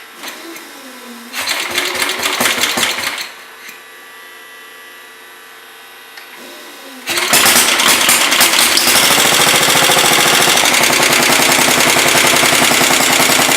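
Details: 1967 Sears Suburban 10 garden tractor, first start after repairs with freshly changed oil and 94%-charged battery: single-cylinder engine cranks, catches and settles into a steady, even fast buzz, running normally; charging check follows.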